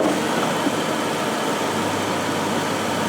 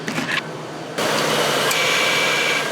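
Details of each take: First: 2000 Ford Crown Victoria, engine idling during AC refrigerant recharge from can: steady even hum, no cycling clicks or rattles; compressor staying engaged long, air now ice cold, normal AC compressor operation. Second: 2000 Crown Victoria idling, AC system low on refrigerant at about 20 lb: compressor clutch clicks on and off, short cycling from insufficient pressure, before topping up the charge.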